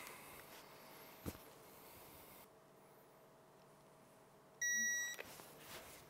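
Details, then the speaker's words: 2016 Yamaha YXZ1000R bottom end rebuild for turbo build: one clean high half-second beep in a quiet shop as the bolt, with the crank held by a wrapped steel bar, reaches 25 ft-lb torque on the wrench. "I don't have one, so I'm using a piece of steel bar just wrapped up and then we're going to torque it down to 25 foot pounds."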